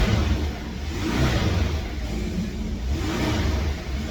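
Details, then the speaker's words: Porsche 718 Boxster S, 2.5 litre, 350 bhp, damaged car with dashboard error messages, first start: deep engine note rises and falls smoothly through revs, no knocks, misses or rattles. Sounds healthy. "sounds good so let's talk about the positives now"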